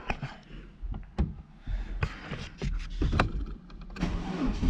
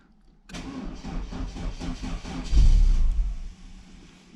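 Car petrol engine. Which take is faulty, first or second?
second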